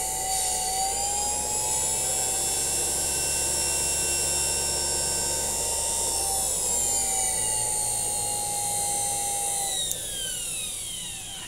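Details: Rebuilt Flume motor with new bearings and replaced switch, for driving a Levin micro lathe, gives a high, clean steady whine then slides down as it coasts; normal motor run.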